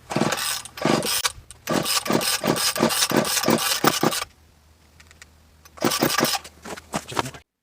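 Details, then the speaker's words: Poulan 2000 chainsaw, pulled with choke on, fuel leaking, possibly from a cracked tank: two bursts of rapid pull-cord rasping with no firing or catch; cranks but won't start, owner believes he found the cause. "so this is the Poland 2000 so I tried test running it it wouldn't start um I think I found the problem for that but I'll get into that a second"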